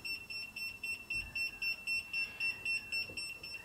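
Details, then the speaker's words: Kaiweets HT100s non-contact voltage tester beeping rapidly and evenly at about four a second when held near a live cord; voltage detected alarm. "it's going to scream bloody murder when it's right on a wire"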